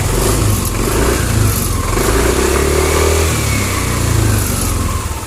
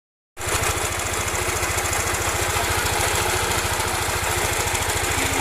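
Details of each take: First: Yamaha NMAX scooter after repair of a harsh noise at the front of the engine, traced to the camshaft bearing: smooth, steady running with clean throttle blips and no harsh rattle, much better than before; normal engine running. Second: Yamaha NMAX scooter with a harsh, gravelly rattle from the front of the engine over a fast steady idle; the crankshaft or camshaft was first suspected, and teardown found the fault. Worn camshaft bearing.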